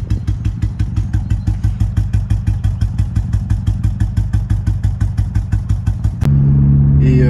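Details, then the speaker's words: Audi S3 idle stumbling in a heavy, regular lope about three beats per second, running on three cylinders; a small hole in the ignition coil caused the misfire even after a broken coil was replaced. "j'avais un petit trou sur la bobine qui a fait que la voiture brûlée sur trois pattes"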